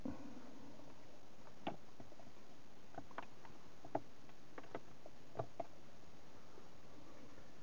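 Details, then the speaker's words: Audi MMI 2G with a MOST bus open-circuit test: black screen, no lights, soft irregular clicking from modules in the trunk retrying to connect over the broken loop; MMI module clicking with MOST bus open loop. "so after the um most bus they're trying to communicate as has an open loop and nothing's blinking here dead all right and look here nothing is on no lights whatsoever so let's see if we can connect it to anything you can hear the clicking in the back but nothing black screen"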